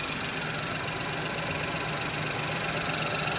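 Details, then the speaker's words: 2017 Ford Focus 1.0L EcoBoost three-cylinder with a 6-speed manual, warm at idle: a steady, slightly lumpy beat of about four pulses a second under a hiss. Each coil pack bogs the engine when pulled, so all cylinders are firing, yet the engine rocks; rough idle, cause unclear. "So there's definitely, each one is firing fine, so no issue there. But this thing is definitely rocking back and forth a bit."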